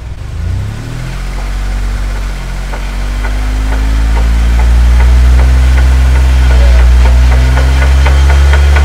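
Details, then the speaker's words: Jeep axle, wheels spun up; noise resonates but follows tire speed, so gear set or carrier bearings were suspected. Regular clunks about three per second over a rising whir: broken gears in the differential. "the sound was kind of resonating everywhere but it's definitely coming about tire speed so we're gonna guess it's baby gear set or carrier bearings"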